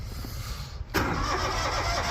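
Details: Finicky-starting farm engine in Saskatchewan winter cold: quiet cranking for a moment, then catches with a sharp rise and settles into steady even run; starts and runs well.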